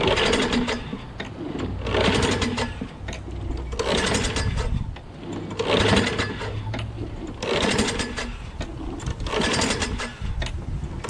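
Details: Craftsman lawnmower, Briggs 6.5HP Quantum engine, after new starter, battery, magneto and plug: catches in short bursts every couple of seconds, surging then dying, never holding idle; owner suspects dirty carburettor.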